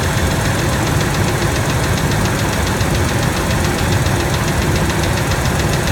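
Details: Rough idle on a 1997 Ford F-150 V6 with a fast, even tick-knock keeping time with engine speed; stethoscope on rocker arm bolts finds it loudest on the middle cylinder, both valves; valvetrain ticking, cause unknown.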